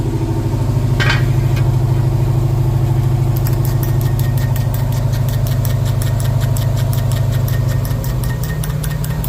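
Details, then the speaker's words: Plymouth 392 Hemi with a 9-inch rear end, in gear with speed building: a steady low drone with a regular ticking thump about twice a second as the brand-new tires and wheels hop and wobble. The driveline looks smooth; the owner thinks the rear axles are bent. "there's almost you can almost see a hop there you hear it that tire is bouncing these tires are brand new these wheels are brand new you can really see it now you almost see that wobble more"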